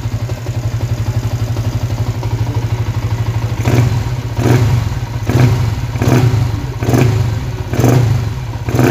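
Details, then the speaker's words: Freshly overhauled Yamaha Y15 motorcycle, 62 spec, racing oil pump, Umar Racing 32mm back-pressure exhaust, ECU untuned, no airbox yet; steady idle then about six crisp throttle blips, quiet exhaust, only normal light clutch rattle; normal revving. "Bunyi exhaust memang senyap back pressure. Lepas tu bunyi clutch dia macam biasa bunyi gedek gitu je, tak ada apa masalah pun."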